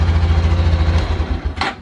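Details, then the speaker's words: Honda Super Cub C125 after spark plug replacement: single fires straight away, even low putter for about 1.5 seconds before shutdown; runs fine. Short runs likely why the old plug was wet. "okay and it runs fine and stuff is falling off my bike because if i raise so much"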